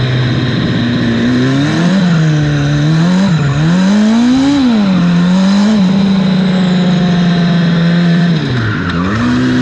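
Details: 300hp turbo Hayabusa engine in a crosskart revs high, with sudden pitch drops and hesitations when the throttle snaps open. Fuel pressure was seen dropping at full throttle, and new wiring didn't help; a fuel pump or electrical fault is suspected. Engine stumbles under full throttle.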